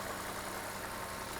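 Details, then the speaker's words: Volvo XC90 with 3.2 inline-six at 259,000 miles, idling evenly with a steady hum and no knocks, misses or squeals; normal idle, though this car later screeches when warm, with lean codes blamed on a faulty PCV diaphragm. "Listen to that baby purr. 259,000 miles."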